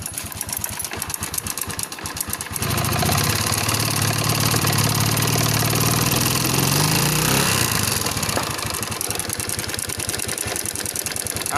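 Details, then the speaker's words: Yamaha Spark 110 small motorcycle engine idling with a light metallic rattle over the beat; valves already adjusted, suspected timing chain or chain tensioner, teardown suggests timing chain. "มีเสียงอ่าคล้ายๆโซ่ราวลิ้นแต่จะเป็นโซ่ราวลิ้นหรือตัวดันโซ่นะครับ"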